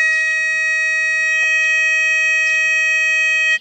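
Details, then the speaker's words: Tesoro Conquistador metal detector switched on: a clear, steady high tone for about three and a half seconds, then cuts off. This is the normal power-on self-check, after which it is ready to use. "now when we turn this thing on you're going to hear a solid tone for a few seconds that's normal that's the machine going through it self checks and whatever"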